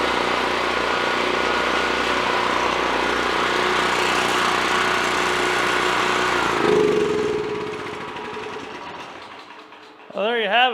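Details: Generac 5500 watt generator not run for a couple of years, cylinder sprayed before first start; it holds a steady governed drone for several seconds, then shuts down and winds away, no misfire or knock. Normal running.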